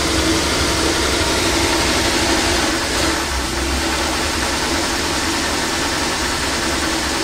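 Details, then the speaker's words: Old Dodge van after new spark plugs, with a coil wire found arcing on the kickdown linkage; the idle is busy and slightly uneven with occasional dips, and the owner suspects the wire or a bad batch of gas. "Yeah, it doesn't idle quite right, and it's got a bit of a stumble, so either that or it could also be a bad batch of gas, I'm thinking, but it's just got a stumble, so something that we'll have to look at."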